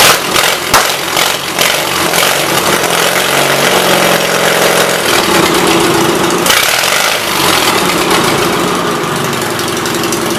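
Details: 1976 Gravely 816 single-cylinder engine, valves ruled out, battery connection found at fault, new spark plug fitted: fires and keeps running with loud, raw popping at a fast uneven beat and sharp exhaust crackle; normal running.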